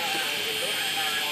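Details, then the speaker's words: Failing hard drive with a bad spindle bearing and some bad sectors, running: steady thin high-pitched whine over airy rush from the spinning platters; bearing whine. "now what i'm going to do this hard drive is failing as you can see it's got a nicer bearing"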